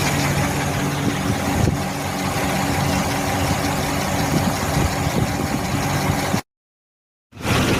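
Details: 2015 Mercedes-Benz GLC300 petrol engine idling: a light, somewhat uneven tick rides over the steady run. Suspected valve knocking, not confirmed.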